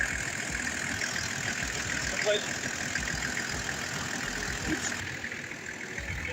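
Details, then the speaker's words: Abandoned Toyota LandCruiser ute diesel, sat unused in the bush, starts straight up on basic tools and a battery and settles into a steady, fairly even idle clatter with no knocks; clutch fluid leaked out, no clutch; normal idle. "that is running that is just amazing that is just unreal that thing there started straight up that's incredible"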